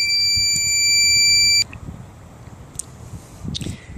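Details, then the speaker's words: Van inverter powering a sandwich maker from a single battery: steady shrill alarm tone about a second and a half, then cuts off; inverter overloaded, warning of low battery; the inverter cooking setup failed because of the battery. "it's using a lot, so it's beeping. It's having a hard time. I should probably use a larger inverter for this because it's struggling right now."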